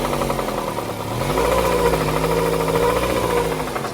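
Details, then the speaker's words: 2000 Honda Civic DX hatch with B18C1 GSR swap, unrun over a decade, warm at operating temperature after short run: deep knock about three or four per second at idle, swelling with revs; connecting rod bearing failure. "this not even been running for very long just up to this temperature now and it seems like that bearing uh is not holding up"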